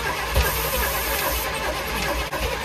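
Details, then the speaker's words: Chevy K5 Blazer big block that was water-flooded and seized, being revived with suspected weak fuel supply, about 14 psi oil pressure at crank: loose, uneven clacking while cranking and catching; owner suspects a loose rocker in the valve train. "let's go oh she close starting to hear some clickity clacking in that motor"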